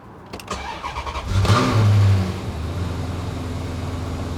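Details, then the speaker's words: Cheap Maserati after refitting the thrown accessory belt despite a torn tensioner pulley: brief crank, catches with a rev, settles to even low idle without squeal or chirp; no battery warning light, power steering restored. "running smooth. That's smooth. I've got no battery warning."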